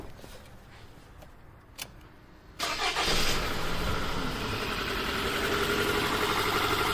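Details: 2009 Toyota RAV4 2.5 running with a labscope on starter current, intake vacuum, dipstick and coil 1: lumpy idle stumbling about four times a second. Leaking intake valve confirmed by the sloping waveform.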